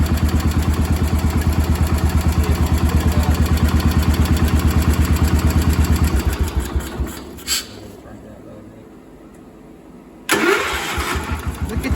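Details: Cub Cadet 1250 hydrostatic single-cylinder engine, revived after sitting about 20 years, carburetor adjusted to run right: even, steady thump for six seconds, quiet with no smoke or misfires, then shut down; normal running.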